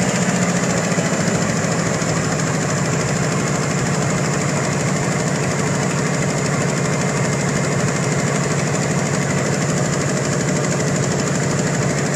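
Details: 1992 Ford Bronco V8 at idle after fitting Edelbrock Performer 3881 intake: loose, uneven tick about once a second over the exhaust pulse; owner suspects exhaust leak at shorty Summit Racing headers, unconfirmed.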